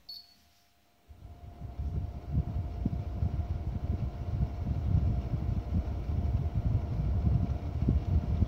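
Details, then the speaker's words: Ballu air purifier on its lowest setting: a faint steady hum with a tone around 700 Hz over a soft fan rush; the motor audibly drones slightly. "Так, включаем на самый слабый режим. Во-первых, сразу обращу внимание, если вот слышно на камеру, чуть-чуть гудит двигатель."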